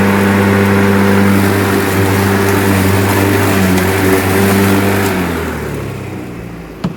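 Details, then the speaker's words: Lawnmower after retightening the blade: steady motor hum that sags and drops in pitch, not at full speed; blade slipping as if not held tight; underpowered. "it almost was like it wanted to slip but it's just not like you can hear it's it's not running at its full potential"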